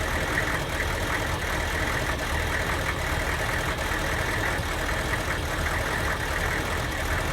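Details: Diesel van after an aftermarket ECU tune, running badly especially when hot and barely doing 45 mph: uneven idle with a faint irregular tick over the clatter, a skipping misfire; a stock junkyard ECU restored normal running.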